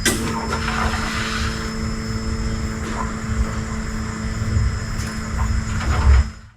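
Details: Jeep Wrangler YJ sat about 6 years, fuel pump relay ground bypassed: starter cranks steadily for several seconds with low droning whirr but never catches; fuel pressure present, no spark, ECU fault later repaired; cranks but no start.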